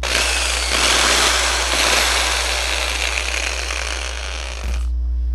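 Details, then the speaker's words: Skil 500 W drill that the owner says lacks power: runs with a harsh, rough grinding rattle, its armature wobbling from a broken shaft bushing. "O cliente trouxe ela, disse que ela tá sem força e fazendo um barulho muito estranho. Furadeira da Skill com um barulho estranho."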